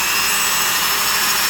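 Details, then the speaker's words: Vintage Black & Decker Super Duty 5/16" D-handle drill, just reassembled with new grease, not yet broken in: steady high-pitched whir at constant speed, no rattle, grinding or surging; normal no-load run, still sounds so nice. "Anyway, still sounds so nice."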